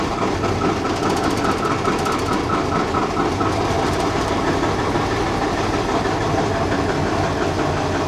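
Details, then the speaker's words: Magirus Deutz FM 170D11 FA truck diesel that ran out of fuel, cranking on batteries brought along: steady heavy churning that keeps going without catching cleanly; sounds like air in fuel, air bubble seen. "does sound like it has some air in it yeah"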